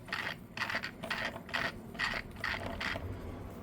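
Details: Losi Pro Moto MX RC dirt bike after a brake fix and bearing check: an even, light chain whir with a steady pulse about twice a second, no grinding or slapping; chain running freely.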